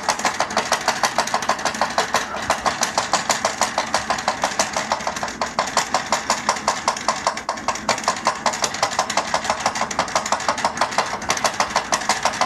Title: My chair sounds like a tractor